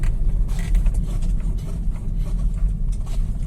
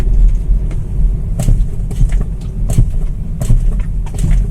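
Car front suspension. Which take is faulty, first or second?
second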